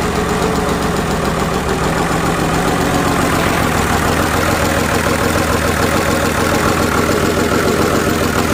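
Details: 1999 Cummins 5.9 24-valve diesel, first start after rebuild: steady, even diesel clatter at fast idle with constant rhythm, no misses or knocks; normal running.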